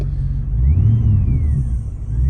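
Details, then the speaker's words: Corvette C4 after installing a JVC KW-M745DBT head unit with original Bose speakers via Metra bypass harness: thin whine through the speakers over engine rumble, rising and falling with revs; alternator-type noise suspected, audio whine rising with engine speed. "ergy to continue but I got that whining sound as some some get and some doesn't have this problem the more I read the engine the higher the whining gets"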